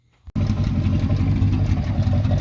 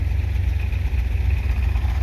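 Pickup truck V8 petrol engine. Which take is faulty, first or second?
first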